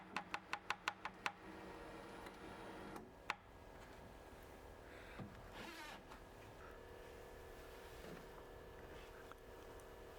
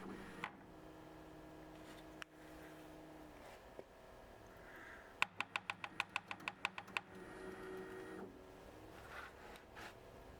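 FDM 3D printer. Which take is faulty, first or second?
second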